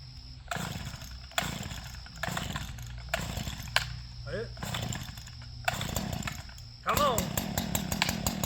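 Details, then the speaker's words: Small two-stroke engine (believed two-stroke, standing in for a broken STIHL FS 131 R) after fueling: a few rough pull-start bursts, then catches and holds a steady, even high buzz; runs fine. "You can hear the difference in the sound of these engines. This is a I believe it's a two-stroke and that's a four stroke."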